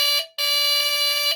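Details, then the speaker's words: Replacement buzzer in a Lionel diesel locomotive, run on the track under power: two clean, steady buzzes, short then about one second, with a bright, fairly high tone. Tone adjustable by screw, higher-pitched than the original. Working horn buzzer. "So this one too also is still higher pitched than what the original one was."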